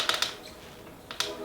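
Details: Bicycle with a Shimano Hollowtech crankset, creaking in the bottom bracket area: sharp dry clicks in quick pairs as the crank is loaded, from a loose crank arm seen pivoting.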